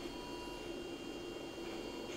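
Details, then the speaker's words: Toyota electronic throttle body on a test bench with its ECU, after a full power cycle cleared the fault mode caused by electromagnetic fault injection: a faint, steady low hum with no jitter or chatter, working properly and much quieter. "so you see there's no Jitter you can't hear the Jitter in it so it's working perfectly"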